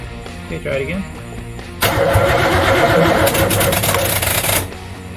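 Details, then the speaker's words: Chevy small-block V8 Camaro first start, weak battery: starter cranks about three seconds with ragged chuffing but never catches; plug wires routed the wrong direction around distributor cap like a Ford, wrong firing order. "I figured out my mistake here. I had routed the wires going the wrong direction around the distributor cap like a Ford. But this is not a Ford."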